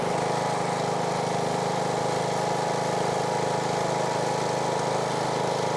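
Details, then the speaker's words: Husqvarna riding mower, Briggs & Stratton single-cylinder, after replacing camshaft with failed decompressor that made it crank like a dead battery: starts easily, steady even putter settling into smooth idle, no misses or knocks; healthy after repair. "see if we're going to click from this one right here we do you ready and it idles dark nice dude very easy"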